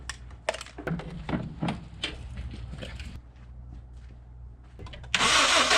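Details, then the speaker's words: Car with a B20 B-series engine (earlier described as hydrolocked) cranking unevenly and lazily with a weak, lopsided beat and no catch; compression seems low, suspected but not confirmed. "all right it's not that much compression we might have something wrong"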